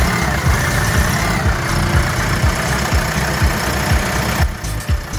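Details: Doosan forklift G2 engine after repair of a bent pushrod, a stuck No. 1 intake valve with carbon buildup and a repaired No. 1 injector: idles smoothly with a steady low pulse, about two beats a second, and no knock.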